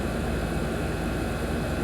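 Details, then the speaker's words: Air conditioner outdoor unit after power reconnected during capacitor troubleshooting: steady, even whoosh of the condenser fan over a constant compressor hum, no clicks or surging; running normally, pipe sweating. "So I'm going to connect the power back. I can hear the compressor keep on."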